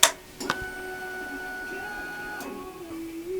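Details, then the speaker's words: Honda VFR800 after ECU replacement: click then steady fuel pump hum about two to three seconds cutting off cleanly; normal prime, fuel cut-off relay working, immobiliser working, FI light still not illuminating. "Fuel pump primed, so the fuel injection system is working. The fuel cut-off relay is working, because it's just primed up for 3 seconds and switched off, which is what it's supposed to do."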